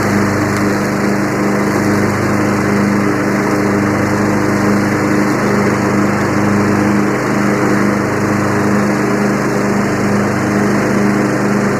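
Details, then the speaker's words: Yard Machines 20 hp riding tractor, 42-inch deck, free unit with starter issue: steady single-cylinder drone with the deck's low whir, no surging, blades engaged; normal running. "you know what's next after that we got to see if the blades work sounds like the blades work"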